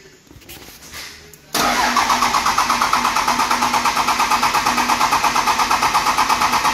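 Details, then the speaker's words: 12-valve Cummins dually, freshly installed mechanical fuel pump, quarter tank: starter cranks steadily about three pulses a second and never fires; no fuel getting through, later traced to overflow valve unsuited to stock pump. "I think it was the overflow valve too I guess they're not made for a stock pump that's what he said"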